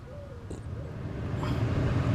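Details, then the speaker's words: Car heater blower at full speed after removing debris from the fan: steady low airflow rumble, smooth with no rattle or squeal; previously noisy at higher speeds. "see ya how quiet it is no more noise"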